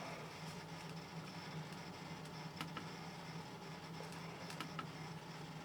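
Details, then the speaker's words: Lenovo ThinkCentre, once flooded and fitted with a new motherboard, near the end of a boot of just under 2 minutes from an old 80 GB hard drive before an SSD upgrade. Faint spin hum with scattered sharp seek ticks. "As you can hear by the way it's running, it is quite an old hard drive that I put in it."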